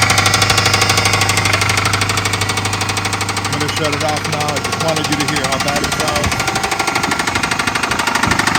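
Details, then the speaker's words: 2011 Dodge Charger RT 5.7L Hemi V8, automatic, 128,000 miles, at idle: a loud, steady knock at roughly three beats a second over a rough idle, a bad bottom-end knock inside the engine. "but the motor has a loud look so it's got a bad motor"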